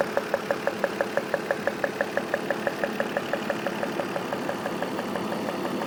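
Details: BMW M52 engine: a steady, sharp tick about twice a second over a smooth idle; clear tapping noise, cause not pinned down.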